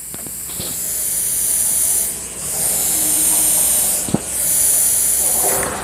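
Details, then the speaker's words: Cerwin Vega sound system: constant high airy hiss from the mid speakers with nothing playing; suspected cause long coiled cable and balanced XLR converted to unbalanced plug. "Bueno amigos pues aquí nos Comenta nuestro nuestro amigo Este que tiene un problema con estos medios que siempre se escucha un y el famoso ciseo escuchen"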